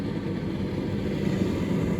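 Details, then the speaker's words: Street-found Indesit/Hotpoint/Beko IDCE8450 condenser tumble dryer on a timed cycle: steady low hum and whoosh, no knocks, rubbing or squeal. Motor and fan turning smoothly, normal running. "that means the motor's turning so then beyond that if the controller's working the motor's turning"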